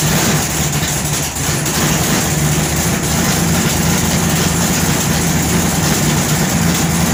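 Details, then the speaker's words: Newly installed 511 low-deck wedge V8 (440-based block) with MSD ignition and B1-sourced headers: idles with a loping, uneven chug under a steady exhaust rumble, the choppy beat of a healthy big-cam engine. "All right, contact number 2. I want to hear that chug."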